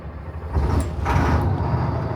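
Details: 2003 Stewart & Stevenson M1078 diesel truck, cold start around 8:35 a.m. with transmission in neutral: engine catches after a brief crank and settles into a low, steady rumble with no knocks or misfires; normal cold start.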